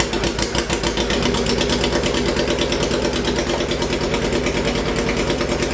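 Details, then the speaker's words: Hayabusa-swapped 1970s electric CitiCar at idle with two ignition coils swapped: rough uneven idle with irregular sharp pops through the exhaust, two cylinders not running; misfire with backfiring at idle. "then it dawned on me that I had swapped the coils backwards so so there were two cylinders that weren't even running and that explains why it was backfiring on idle"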